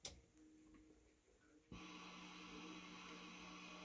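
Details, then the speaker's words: Orange 35RT amp, dirty channel: steady hiss with a low hum rising once the channel comes in; reduced but not gone with an ISP Decimator noise-reduction pedal; cause not confirmed. "he apparently was putting the gain at three o'clock and was getting some noise"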